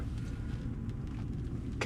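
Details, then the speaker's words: 2014 GMC Sierra, 220,000 miles, after replacing failed aftermarket O2 sensors with OEM ones, much smoother than before: low, even rumble with no misses or stumbles. Normal idle, purring perfectly. "This car is just purring perfectly."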